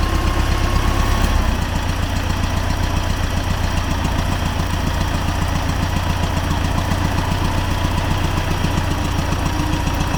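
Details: T-40AM tractor diesel near a field ditch during a differential lock test, about -14°C after standing a month; steady rapid knocking, three to four a second, over the low rumble, engine knock source unknown.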